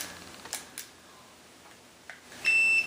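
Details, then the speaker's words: Cherry-style arcade joystick switch (Tekken cabinet) tested with a multimeter: a few light stick clicks, then one short high continuity beep as the switch closes properly when moved in that direction. "also remember that we can use our multimeter just like we did on the leaf style switches and you should not get a beep here until I'm going to put that there until we go that direction"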